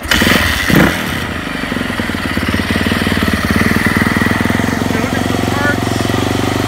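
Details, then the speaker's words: Yamaha YZ450F dirt bike, said to have 70 hours, with the engine re-ringed and top end checked at 40 hours: fires on the first kick, then settles into a crisp, even single-cylinder idle with no knocking or rattling; tight, healthy engine. "seems like a really nice solid tight bike but it was raised and it was used so if you buy the motor off this one make sure you have a look at it before you run with it I'm confident it's clean well maintained everything should work well seems pretty tight start it up here"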